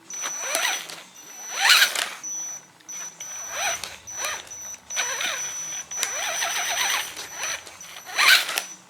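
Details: Axial SCX10 Honcho RC truck with an upgraded motor: the motor whines up and down in short bursts, and loud rough pops break through from the drivetrain under load. No gears were stripped; the worn stock drive shafts were making the pop.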